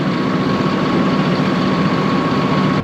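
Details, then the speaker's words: Rogator sprayer diesel after replacing a blown hydraulic hose: deep, steady idle with even low rumble, no surging or knocking, then cuts; working normally after the repair. "guys, we're back. We're back. It's working, I think. So that wasn't too bad."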